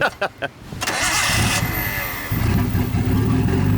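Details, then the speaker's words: Nissan A31 Cefiro RB20DET with an R34 RB25 Neo turbo swapped on, first start after topping off coolant: short starter bursts, then fires and settles into a steady, even idle; sounds okay while bleeding coolant. "everything seems to be sounding okay we're gonna let it bleed for a little bit get all the bubbles out but as you guys can tell it doesn't sound so bad right now"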